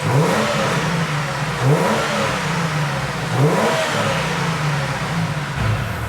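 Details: Ford BA Falcon six-cylinder after drift day, being diagnosed for lumpy idle, high idle and dropped cylinders: three clean throttle blips rising and falling smoothly, no stumble; blown inlet manifold gasket at cylinder 6 found and fixed.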